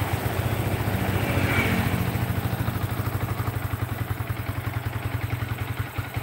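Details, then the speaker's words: Yamaha Vixion single-cylinder motorcycle after repair, with the uni-track fixed. It revs steady and even with clean firing pulses and no knocks or rattles. Normal, healthy revving at stock performance. "Ini motor sudah siap grade setiap jalan dan performa sudah kita upayakan semaksimalnya"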